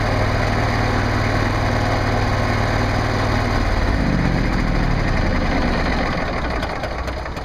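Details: Generac NP-52G RV generator at 490.1 hours, just after an oil and filter change: it fires up easily into an even, steady drone with no knocks or misses. Normal running.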